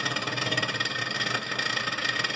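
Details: Continental RFCT455 frost-free duplex fridge; constant scraping rasp as the evaporator fan blade hits built-up ice, because the control board wasn't defrosting; fixed by resoldering cold joints and cleaning the relay contacts.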